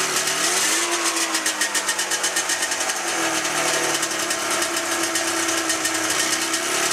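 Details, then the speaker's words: 1997 Ski-Doo MX-Z 440 fan-cooled two-stroke, about 12K km, top end redone, good compression; raspy idle pulses and stumbles unevenly, won't idle on both cylinders until gas is squirted in the mag carb; carbs swapped, not the cause: misfire at idle. "So as you saw, the engine wouldn't idle properly on both cylinders until I put a little squirt of gas in the mag carb."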